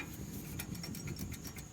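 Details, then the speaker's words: 2019 Honda Odyssey at 33,000 miles, front right, wheel off, restaged after repair: light metallic clicks and knocks as the brake caliper is rocked by hand, showing play from loose caliper mounting bolts that caused a front suspension clunk. "Hear that looseness? It's hard to see because I'm holding the camera with one hand, but it's definitely moving."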